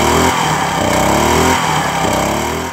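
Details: Firman 1050 80cc generator after carburetor cleaning, with fresh fuel and stabilizer. Engine speed rises and sags in waves about every 1.25 seconds; idle surging from a lean pilot jet, fixed by slightly enlarging the pilot jet.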